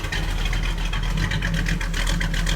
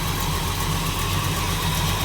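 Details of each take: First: 1937 Buick street rod with 400 cu in small-block Chevy, runs hot, cracked exhaust manifold leak: deep, uneven loping idle rising and dipping a couple of times a second from an aggressive cam; otherwise runs good. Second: 1937 Buick street rod with a 400 cu in small-block Chevy, about 35,000 miles since an ~1989 rebuild, good oil pressure, at idle: sharp ticking puff on every firing pulse; cracked, leaking exhaust manifold burning a spark plug boot.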